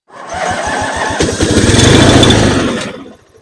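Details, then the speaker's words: Free Roper YT-14 mower, Briggs & Stratton 400707 14HP 656cc twin, choke on: steady quick cranking, half-catching with a rougher roar, then dying. No gas flowing yet; fuel filter then starts filling. "I still don't see any gas flowing, so it must be running on fumes right now. I thought there's gas in there, right?"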